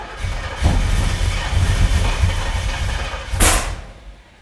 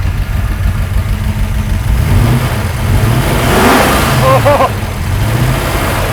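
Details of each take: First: Roughly 600 hp big-block Chevy in a C10 squarebody, fire-up on an old starter: rough, lumpy firing with sharp pops and flames; spark plug wires for cylinders 3 and 7 were switched. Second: About 600 hp big-block Chevy in an 80s C10 squarebody with a lot of cam, basic tune and base timing: the deep V8 swells cleanly through several blips and settles without misses, a healthy free rev.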